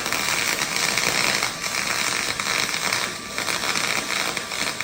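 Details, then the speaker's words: HTP MIG 2000 welding aluminum at the door-chart settings. Steady crackling arc hiss with occasional irregular pops, judged to need about 0.3 to 0.5 more volts: MIG arc popping from low voltage. "when you listen to this and you say, "There's still a little bit popping in there." I agree this could have benefited from another 3 maybe.5 volts to get the [music] arc just right"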